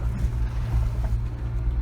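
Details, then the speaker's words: Kia Sportage I driving on rough road after repair: only road rumble and engine drone, no tailgate clatter or squeak; fixed with old hose piece and filing, latch loop bent inward. "Вот так вот с помощью старого патрубка и напильника грохот пропал. Ну и скрип, соответственно, тоже."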